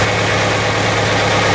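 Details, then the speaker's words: Chevy S10 after head gasket, intake and exhaust manifold gasket replacement, some trouble starting: steady even idle, smooth low hum, no knocks, misses or ticks; healthy. "Anyways, I'm not sure why it had a little trouble starting up, but it started. Sounds good to me."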